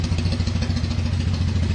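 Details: Kawasaki KZ440 single-carb twin after carb cleaning, clogged pilot cleared and air/fuel screw set one turn out, warmed up; even, quick low thumping with no stumbles or misses; normal idle.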